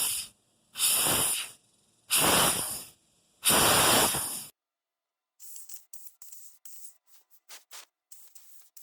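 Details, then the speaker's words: Harbor Freight Central Pneumatic 1/2" air pressure regulator on a vapor blast cabinet, spring tension off: sharp one-second air hisses and faint spitting bursts from a regulator that should be sealed; leaking air. "So if I wiggle this, it's supposed to stop. But you can hear it. Hear it? It's not supposed to leak any air out of here."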